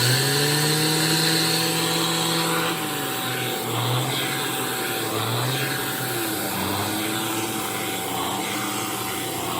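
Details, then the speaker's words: Shark AZ3002 (Stratos) cordless vacuum after a year of use, handheld power attachment running: strong steady whine rising and falling like a turbo spooling over whooshing airflow; normal motor sound. "I thought I would really like it because it had been really nice for the stairs. It sounds like a turbo spooling up."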